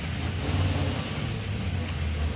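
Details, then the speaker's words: '56 Chevy field car, V8 with new engine, ignition timing advanced from too-retarded: starts and runs with deep, steady burble, even firing, no ticks or knocks; healthy. "Ignition on. Crank. Fire as I told you. Sounds pretty good."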